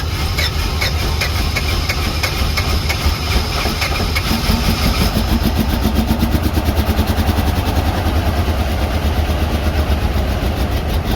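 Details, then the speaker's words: Box truck V8 with low compression, engine restorer added, started with jump starter: heavy idle with uneven stumbling beat and loping pulses; missing on one or more cylinders, cause not confirmed. "Yeah, I mean, she's missing pretty good."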